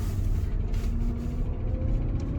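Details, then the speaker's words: 2005/2006 Porsche Cayenne S 4.5 V8 with about 311,000 km, on its first drive as it pulls away: heavy low rumble with a rough, uneven knock that worsens as the car moves off. The engine knock is bad. "Yeah, you can hear the knock. It's pretty bad, to be honest."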